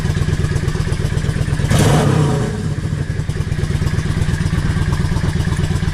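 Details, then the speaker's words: Yamaha XVS650 V-Star 650 V-twin, warm, after a #22.5 Mikuni pilot jet fit (previously lean on the pilot): lumpy idle picks up crisply on a quick blip and settles straight back to a steady beat; clean response, better than before. "Response to the throttle even better than what it did."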